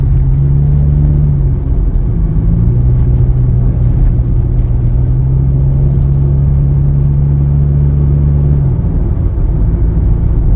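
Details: Honda Accord after muffler delete: deep booming drone rising and falling with revs, loud even a little under 2,000 rpm; loud exhaust from muffler delete.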